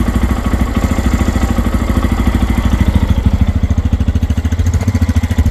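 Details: Lifan KPX 250 (249cc single, EFI, overhead cam, 6-speed), first start from new, cold, in neutral: quick even thumping at idle with no knocks, ticks or misses; quiet and healthy while warming up.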